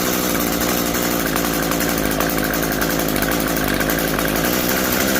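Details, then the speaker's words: Curb-found Echo SRM-2320T string trimmer, thrown out with unknown issues, first start attempt after pulling until it pops: rough, high buzzing two-stroke note that stutters and surges unevenly, running rich on choke; throttle rotates fine. "So, what we'll do is we'll go ahead and see if it fires up. Um, it's good. Okay, so it's running on choke."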